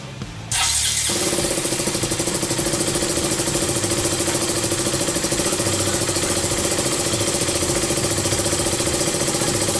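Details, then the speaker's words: KTM Duke 200 that sat almost a year, fuel pump hose reconnected to the fuel injection: starter catches after half a second and the single settles into a steady, even idle with no misses; confirms the old fuel pump was the fault. "So ayan, umandar yung motor. So ayun, sure na tayo na fuel pump talaga yung problema."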